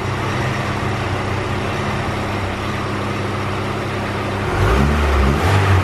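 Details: Honda EK coupe with B18C GSR (rods, pistons), probably 50-trim eBay turbo, log manifold, full exhaust, 1000cc injectors, back on stock GSR cams: dyno pull at ~6.5 psi to 7,000 rpm. Even drone builds cleanly with no stumble; healthy, though running rich and VTEC dips slightly.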